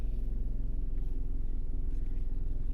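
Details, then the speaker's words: Car put in drive: low lumpy pulsing several times a second, shaking and vibrating; check engine light back on and oil light appeared earlier; rough running, cause not pinned down. "just shaking and vibrating and making all kinds of noise. It's ridiculous."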